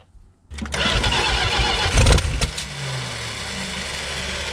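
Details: 1964 Valiant convertible slant six, abandoned in a field for many years: starter whirs briefly, then the engine catches with a loud burst and settles into an uneven, lumpy idle; rough start after long storage.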